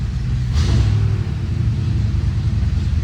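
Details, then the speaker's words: Car after major repairs, started with the dash temporarily fitted; engine still needs sealing and the power steering pump fixing: steady deep low rumble with a brief rev lift, smooth and even with no knocks or misses; normal running. "She sounds really good now."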